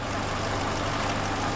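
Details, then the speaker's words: 2007 Chevrolet Lacetti 1.8 petrol, idle with vacuum valve opening the intake manifold flaps: light busy rattle like a bucket of bolts over the engine note; noise stops when the valve is removed, pointing to intake manifold flap rattle. "от слышно ведро с болтами как проверить заслонки это или нет"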